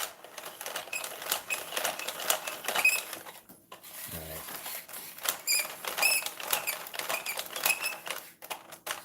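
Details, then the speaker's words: Revell Visible V8 plastic model engine turning over after rocker shaft was sanded and glued: fast, dense, uneven ticking clatter as something rubs and catches; owner suspects he clamped things too tight, binding source unknown. "something something right there is binding it might just be that the engine is too i might have clamped everything too tight"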